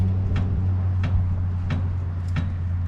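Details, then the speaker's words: 1959 International B100 being lowered; the front is bounced after it reaches the bump stops. Sharp metallic clunks about every two-thirds of a second over a steady engine hum: the front axle striking the oil pan. "that noise you hear guys that's just uh once again our axle smack and oil pan"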